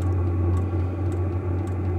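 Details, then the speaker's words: Vevor diesel heater newly installed in a RAV4, just after ignition: steady hum, smooth fan whirr and faint ticking; no smoke, running cleanly. "this one's working great no smoke yet anyways"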